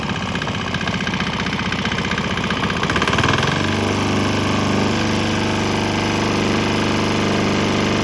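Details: Swan X 165F Chinese single-cylinder diesel on straight canola fryer oil with a little diesel left; throttle backed off at about three seconds, then steady even thumping with mounting rattle and speaker-box noise, running fine.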